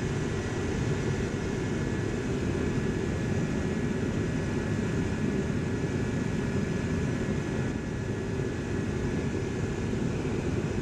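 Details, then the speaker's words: Dyna-Glo Workhorse 65,000 BTU forced-air torpedo heater with spark ignition: steady, even roar of fan and flame with no sputtering, surging or pops. It shuts off by thermostat without smoking, so it is burning cleanly. Normal running. "well you can see the thermostat works i just turned it off it's not smoking when it shuts off so it's burning pretty clean"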